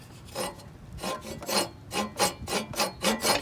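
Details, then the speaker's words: Push reel mower, reel brought up to the stationary bedknife with adjuster knobs before compound sharpening: rhythmic dry rasping swishes, about four a second. Even, light reel-to-bedknife contact, nicely set. "okay it's it's rubbing pretty nicely"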